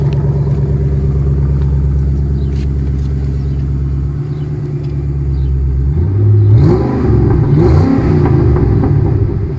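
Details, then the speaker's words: Rebuilt crash-damaged salvage Ford Mustang, exhaust recorded: deep steady idle then several clean blips rising and falling with no knock or clatter; sounds healthy here, though a low oil pressure warning appeared later. Normal revving. "That sounds really good."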